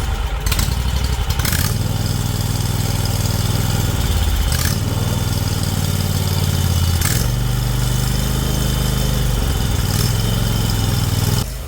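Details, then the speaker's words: John Deere Z950M zero-turn mower, previously making a metal-on-metal scraping noise, blades engaged after repair and off the jacks; steady low engine drone with brief throttle changes, no knocking or squealing; remaining vibration attributed to caster wheels at idle: normal running. "I felt comfortable engaging the blades just to confirm we don't have that noise going on."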